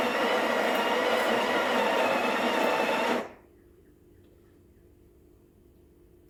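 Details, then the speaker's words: Breville BES870 built-in grinder grinding toward 18 g for a double shot into the portafilter. A steady, even whirring grind for about three seconds, then a clean stop; normal grinding. "i'm going to be grinding the coffee um straight to the portfolio and you know what just for consistency i'm going to be using a scale"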